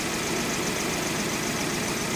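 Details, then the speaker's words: 2003 Hyundai Elantra 2.0L, busy slightly uneven idle with faint stumble; disabling injector 3 changes sound significantly; cylinder 3 misfire caused by leaking intake gasket vacuum leak. "well I'm going to disable injector number three with the cool I'm running you can hear it makes a significant difference turn it back on and now I'll do it again"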